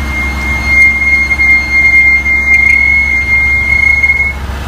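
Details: Ford Escape recorded while driving on several days: shrill, steady high-pitched squeal coming and going over low road rumble; brake squeal.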